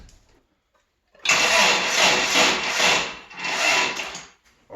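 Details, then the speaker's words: Toyota pickup, automatic, barn find sitting 24 years: sluggish, labouring crank dragging about three seconds, pausing, retrying without firing, with clicking heard; slow weak cranking, owner suspects the battery is dying. "you might crank it over harder there but i think we're losing that battery"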